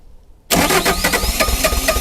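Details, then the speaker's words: Neglected Bobcat T595 skid steer, cold and frozen after glow plugs warmed: diesel catches and settles into uneven, lumpy chug with missing beats and smoke, running on only 1 or 2 cylinders; misfire, cause not confirmed. "She's chugging, but it's smoking. We really shouldn't see any smoke coming out of it, but it's only running on 1 or 2 cylinders at the moment."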